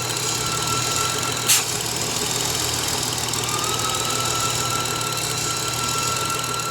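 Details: BMW N53/N54/N55 petrol engine at idle: steady high-pitched whine persisting after pulley, belt and alternator replacement, caused by failing crankcase vent valve integrated in the valve cover; fix is replacing the valve cover.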